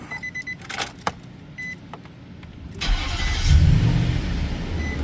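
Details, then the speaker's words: Replacement V8 said to have 58,000 miles, after install: a few chimes, then it cranks, fires and settles into a smooth, even idle hitting on all eight cylinders; normal start and idle. "and it happens to be hitting on all 8 this time. That's a good sign when you get a different motor to put in it."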